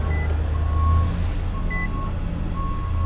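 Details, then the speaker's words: Salvage-auction car just after it starts right up: short chime tones repeat about once a second over a steady low idle as maintenance-due reminders for engine oil, oil filter and tire maintenance sound. "starts right up man maintenance due for engine oil thank you and the oil filter thank you and tire maintenance thank you"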